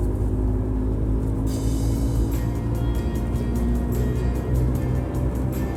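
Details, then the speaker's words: 2009 Subaru Outback, coasting downhill in neutral with the engine idling: steady low rumbling drone that follows road speed. Worn front wheel bearing, before replacement. "we're hearing the obvious Rumble of a bad wheel bearing on the front of my 2009 Subaru Outback hosting a new going downhill in neutral with the engine idling makes it easier to hear"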